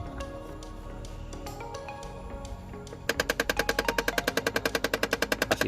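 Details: Nissan Frontier cabin with key on: fast steady clicking about three per second as an air-vent (outside air/recirculation) door actuator motor reaches its stop and keeps ratcheting; replacing that motor is suggested: blend door actuator ratcheting.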